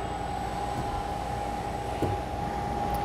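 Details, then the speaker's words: Ball-screw linear module after servo auto-tuning, which cured its earlier oscillation noise: a smooth, steady hum with one constant mid tone and no squeal or oscillating noise as the carriage travels cleanly. Normal motion. "so now I'm going to start the motion again and this time you'll notice that the sound has gone away after I've done the [Music] tuning smooth as silk no sounds No squealing nothing that shouldn't be"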